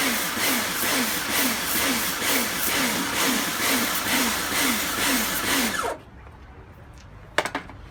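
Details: Kärcher pressure washer rebuilt from a B202 and a K2 14, retested after swapping the switch: motor surges on and off about twice a second under load, then stops; cycling cause not found, owner suspects a valve.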